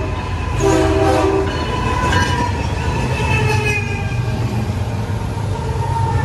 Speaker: One engine was making a really weird noise that you will hear in the next few seconds. Oh yeah, and the leading engine's horn sounded very, very fouled.